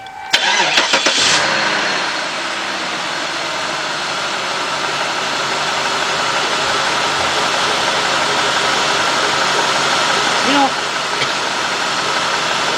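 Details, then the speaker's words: Cadillac Northstar 4.6 V8, warmed up, complaint of rough running and surging idle with multiple codes: idle with a steady airy hiss that gets louder in gear, suggesting an intake air leak; intake manifold gasket replacement linked. "I don't know if you hear a little air. This is not that bad. I mean, I hear it's it's running a little, but I'm going to put it in gear. And I can actually hear air more."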